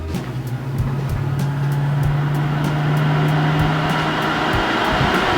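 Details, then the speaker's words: Vortex inline duct fan running without a duct silencer: steady low hum with an airy rush at an even pitch, music over it; normal running, and much quieter once the foam-lined silencer is fitted. "there we have our fan running without a duct silencer on it."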